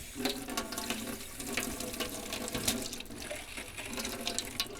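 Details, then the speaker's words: 2001 Bayliner Ciera 2655 liveaboard, after replacing the 24-year-old water pump: hot faucet spits and splutters in uneven bursts instead of a smooth stream; likely air still trapped in the hot water line. "Nope, hot does not like it."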